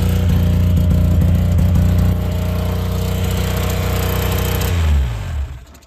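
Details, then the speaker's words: Yamaha V-Max 700 two-stroke twin snowmobile, throttle safety switch bypassed, being started pre-season: low, rough, patchy burble like only one cylinder firing, then dies; misfire, owner suspects the spark plugs. "sounds like a y a one cylinder there"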